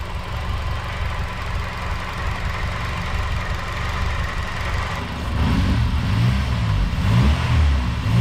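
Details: Honda K-series engine with Jackson Racing supercharger, after supercharger oil change: smooth even idle climbing cleanly when revved, no knock or whine; normal idle and revving.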